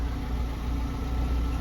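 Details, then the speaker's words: Chinese petrol vehicle that wouldn't start, running after the fuel pump socket was plugged in: steady, even low idle with no misses; normal idle. "Yung socket dito mga kaabi sinalpak natin dito. Pinaandar natin."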